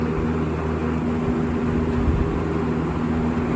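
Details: General Electric W25 box fan running on high: a steady low hum and whoosh of air with no knocks or rubbing.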